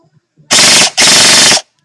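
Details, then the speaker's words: Echo1 M14 EBR/RIS airsoft gun on Echo LiPo, torque gear set (about 19 ratio), ultra piston and stock spring, assembled test fire: two short full-auto bursts with fast, even buzz and clean stops; normal healthy cycling. "okay now this one these wires really aren't red to black but you'll hear a click if it's wrong okay that's actually pretty good sounds nice"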